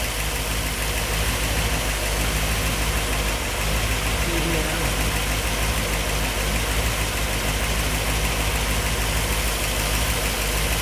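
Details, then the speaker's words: 1964 Ford Thunderbird FE 390 V8, first start in over 40 years with a newly installed Edelbrock Pro Flow EFI after a fuel-map change for lean starving: steady, even idle with a smooth low rumble, no misses or knocks. "oh yeah sounds good all right and there you go pro flow EFI system is now installed"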